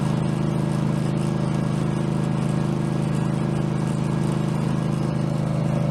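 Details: Craftsman garden tractor, Kohler engine (badged 22 hp, possibly 18 hp), after mower deck blade spindle replacement, no play in spindle: constant drone with smooth, steady blade whir, no knocking, grinding or wobble; deck normal.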